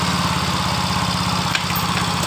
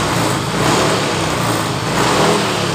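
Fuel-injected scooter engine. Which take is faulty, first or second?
first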